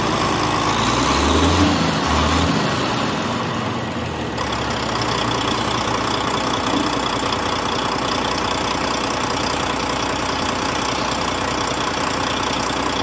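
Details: Volvo truck diesel, likely D13, after valve clearance and injector adjustment for a ticking noise: steady, even idle with a uniform beat and no irregular valve-train ticking; sounds healthy.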